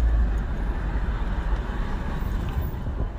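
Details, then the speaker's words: GMC Envoy, 251 km (as read), engine size unknown, driving: a deep, constant growl under the road noise, metal-to-metal, from the front. Engine and brakes seem fine; suspected front drivetrain wear, not confirmed. Drivetrain growl. "So definitely the drivetrain. I could hear a growling sound."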